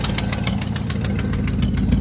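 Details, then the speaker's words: 1969 Buick GS 350 V8 at warm-up idle after fuel filter change: sharp light ticks about six per second over steady idle, a nasty exhaust manifold leak tick from cylinder eight. "yeah you guys can hear that nasty exhaust pick it's coming from cylinder eight"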